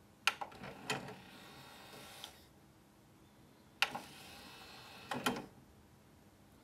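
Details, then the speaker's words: Technics SL-PG490 CD player: brief motor whirr with a couple of soft clicks as the tray slides out, then quiet; a smooth, fairly quiet tray mechanism. "А что мне не понравилось у 477? Вот послушайте, как выезжает лоток у 490."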